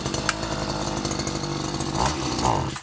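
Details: Stihl FS 94 R two-stroke single-cylinder air-cooled line trimmer needing carburetor adjustment: starts, buzzes at a ragged uneven speed, sags and dies within seconds; stalls after starting, carburetor setting suspected.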